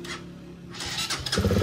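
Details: Rusi motorcycle, one month old, that would not start; cause a short to ground at the ECU (computer box); with ECU kept off ground: cranking whir, then catches and settles into a steady low putter.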